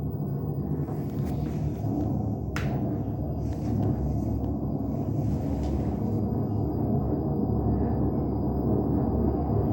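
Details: LG washing machine: deep, continuous rumble that swells as the drum picks up speed, typical of worn drum bearings; repair replaces the two ball bearings and the seal.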